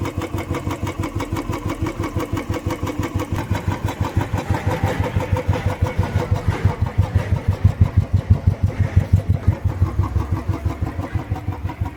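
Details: Royal Enfield Bullet 350cc single, cold after standing a month and a half in winter, kick-started: steady low even thump about three times a second, no knocks or ticks; healthy idle.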